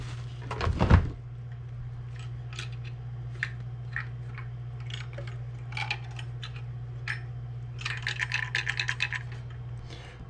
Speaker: there's something rattling around in this so i'm certainly certainly not using this power supply